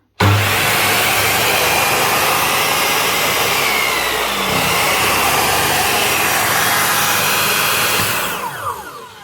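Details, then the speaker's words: Black & Decker miter saw that would not start, after repair by reattaching a broken field connection: strong, even high motor whir holding steady about eight seconds, then winding down smoothly; running normally again. "Look at that. That's her up and running again. Just a broken field connection reattached."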